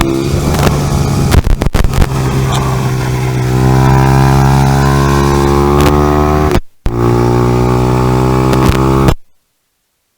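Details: 2018 Honda Grom salvage engine replacing the 2014 motor, first run with intakes not yet connected: single revs smoothly, pitch rising and falling with throttle, no knocks or rattles; normal running.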